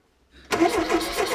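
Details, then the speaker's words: Mk1 Ford Fiesta Super Sport barn find, parked about 20 years, fuel pump delivering fuel: steady starter cranking with no firing; ignition points open and close but don't spark, need more cleaning. "No, they're working, but they're not sparking. but they're not sparking. Yeah. So that means we need to clean them even more then."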